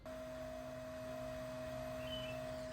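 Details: Old LED headlight bulb, played back before the NOVSIGHT replacement, which is silent: its built-in cooling fan gives a constant high-pitched whine with a lower hum underneath that never changes; a noisy bulb cooling fan.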